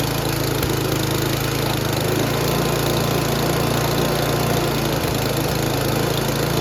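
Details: Noma/Murray Snow King 27" dual-stage snowblower, 9HP Tecumseh, after HIPA carburetor replacement, tested at full throttle while checking forward and reverse drive: an even, fast putter with no misses, hunting or knocking. Normal running; the owner says top speed is too high.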